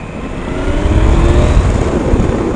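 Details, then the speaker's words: 2015 Yamaha FZ-09 (FJ-09) triple on a first ride with a full tank, around a parking lot: smooth, even growl rising steadily in pitch under hard throttle, no knocks or rattles; rider notes a very different sound and much more torque; healthy acceleration. "wow it feels different sounds like way different oh my God this triple sounds amazing holy"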